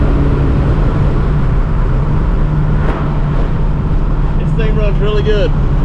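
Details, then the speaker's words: 1987 Saleen Mustang Fox body, replacement motor after the old motor had balance problems, during test drive. Even, steady idle, low firm rumble, no knocks or misses, traffic and wind around: normal idle; idle air control not catching on clutch-in, may need adjusting. "Said the other motor definitely had problems. This one's running great."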